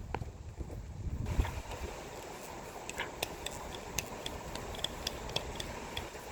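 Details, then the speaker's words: On a 2008 Ford Escape with a clicking-when-turning complaint, two steering shaft U-joints flexed by hand give sharp, irregular metallic clicks from worn joints with play. "these were the two joints to have the problem again you know the clicking right here"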